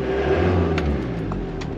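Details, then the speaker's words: Ford VH Transit diesel van after replacing the diesel pump timing solenoid (knock, power loss, code P0149): restarts without rattle and revs up smoothly and evenly; sounds normal, fixed. "can you rev it a bit the seat is sounds normal excellent"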